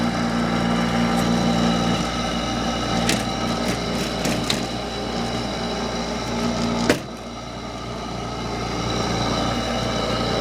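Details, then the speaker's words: Hampton Bay by LG 8,000 BTU window air conditioner, about 2004, only a few years old: steady humming drone with whirring tones and a brief clunk; fan motor rougher and louder than it should be, suspected worn out. "damn motor sounds worse this one these hair conditions are only a few years old and these Hampton Bay air conditioners are shot"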